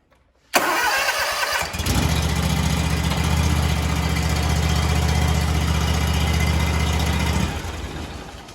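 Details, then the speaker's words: John Deere lawn tractor after the starter solenoid no-start was fixed: the starter cranks briefly, the engine catches, settles into a steady, even idle and then shuts down. It starts and runs normally. "So now the starter solenoid is working as it should. The engine should fire up and run."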